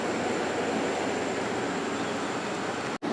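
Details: Hotpoint 8400 BTU air conditioner (rated 8.3 A) after its damaged, cut power cord was replaced, running on low. Even fan rush with a faint steady hum, no rattles or squeals, briefly cut off near the end: normal operation.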